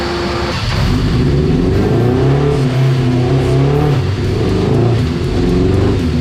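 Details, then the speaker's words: Dyno pull on a 1987 Suzuki GSX-R 1100 carbureted four before rejetting: deep, thick roar under load with a soft, blubbery edge, running very rich for years after an exhaust change and a jet kit fitted by a shop. "was running rich the guy's been riding it for a couple years now running rich like this"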